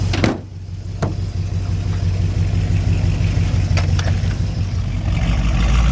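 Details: Roughly 5200 lb classic car with a big engine, factory carb replaced by an aftermarket carb: a deep, even burble with a steady low pulse and a few sharp knocks from handling; the engine runs normally.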